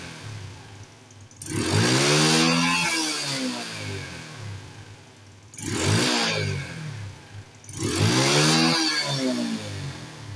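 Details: Carbureted Honda Wave motorcycle after plugging the secondary air injection pipe: three clean rev blips falling back to a steady idle, no pops or bangs on the overrun. Exhaust backfire on deceleration is fixed.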